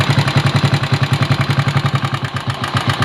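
Loud regular clatter at idle, about three to four knocks a second over a low thump; something is knocking, cause not certain. Cause suspected, not confirmed.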